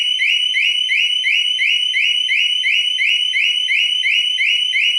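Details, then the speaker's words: A Harley-Davidson Smart Siren II alarm (part 68328-06A/B), newly installed on a 2015 Street Glide Special, sounds shrill rising whoops about three times a second after the warning chirps; a loud, evenly spaced full alarm. "it is loud so you will know if somebody's trying to get on your bike so here we go so that's the first warning chirp there's our second one"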